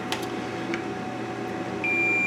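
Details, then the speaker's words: 25-inch K7000 arcade monitor chassis, continuity test across the C36 capacitor pads: after some handling a steady unbroken beep holds, so the pads still read shorted and C36 is bad and must come out. "so now let's test our pads if our pads still read shorted then our c36 is no good"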